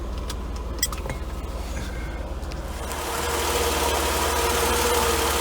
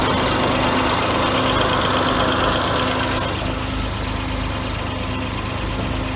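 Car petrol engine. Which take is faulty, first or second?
second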